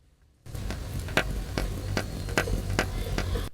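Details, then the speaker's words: Engine during top overhaul after running low on coolant (overheating not shown on gauge), microphone removed: sharp metallic slaps about two per second over idle, hollow sound; excessive piston-to-liner clearance, rusted liners; piston slap. "Kasi mga kapatid, napaka-ingay na po ng kanyang mga piston."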